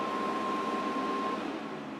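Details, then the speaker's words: Power Mac G5 that earlier exploded when plugged in, first boot into Leopard after repair; a loud, steady rushing airflow with a thin whine near 1 kHz, fans at full speed because thermal calibration hasn't been run. "It's also extremely loud. - It is extremely loud. Yeah, I guess we gotta calibrate it."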